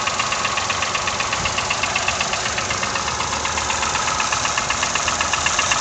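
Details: Toyota 1KR-FE engine at idle with new timing chain, tensioner and guide: sharp, even knock about four per second over the engine's ticking; engine knock, cause unknown.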